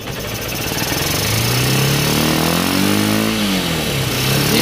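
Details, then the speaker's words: Honda CB Unicorn 160 after carburettor replacement (piston pin was broken; previously hard starting and misfiring): single's exhaust pitch climbs smoothly on throttle and drops back without stumbling or popping; normal revving. "पहले आपने देखा था दोस्तों बहुत ज्यादा starting में दिक्कत ए रही थी और मिसिंग करती थी बिल्कुल अच्छा कम कर रहा है दोस्तों"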